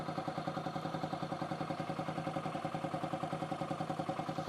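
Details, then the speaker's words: 2008 Yamaha XT125R Big Wheel, stored 12–15 years, carb cleaned, new battery: quiet, even single-cylinder tick-over about three and a half beats a second; normal idle, charging 14.74 V at tick-over. "Yeah, so that is showing 14.74 on tick over. I'm going to struggle to do this without clips."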